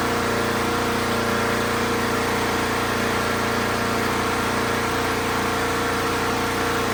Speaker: Well, there you have it, folks. We got a running lawnmower now in the Casa Bordella over here in suburbia.